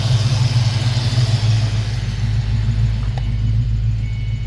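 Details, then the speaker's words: Mustang engine after Sea Foam treatment, revved eight or nine times: a low, even idle rumble with a steady beat and no stumble, miss or shake. Smooth idle. "nice good smooth idle wow"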